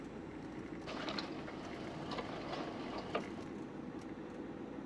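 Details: Driving over uneven road before replacing the lower arm: scattered metallic knocks at irregular moments over steady road rumble, a worn lower arm ball joint clunking; steering also pulled despite repeated alignments, cured by a new lower arm and absorber link.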